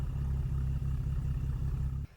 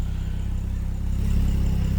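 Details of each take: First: BMW N55 with new plugs, injector and gaskets, old coils; idles fine but misfires when revved, uneven stumbling pulse and shaky low note; misfire on cylinder 5/3, with smoke and coolant loss; owner suspects head gasket or warped head/block. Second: BMW N55 engine idling 20 minutes, following gasket replacements and intake valve cleaning for misfires, not yet revved; steady, even low idle with unbroken firing rhythm and no misfires, head gasket suspected.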